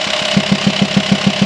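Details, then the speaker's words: VW T5 Transporter 2.5 TDI diesel at idle with sharp, even ticking and a pulsing knock, felt as vibration in the hose to the air box; diagnosed as a worn camshaft with lifters worn through to holes, needing new camshafts and lifters. "if you have a knocking pulsing engine sounds coming out of your Volkswagen T5 2.5 TDI you hear it Knocking the way you feel it you feel it mostly you feel the vibration from the hose to the air box"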